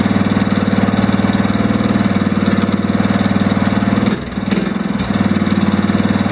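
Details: Off-road mower after swapping in an OHV single-cylinder engine with valve lash reset to spec, started unchoked: even, steady single-cylinder thump at idle, no ticking or misses; running smooth and healthy.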